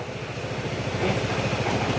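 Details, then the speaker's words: Honda PCX160 scooter after engine overhaul with crankshaft replaced, sensors reset, just restarted: quick, regular low steady putter, even beats, no knocking; earlier rattling gone, only slight slider noise; normal sound for the model, still breaking in, kept to 660 for now. "Ganyan talaga ang tunugan ng mga Pisx. At ah syempre be-break in pa yan."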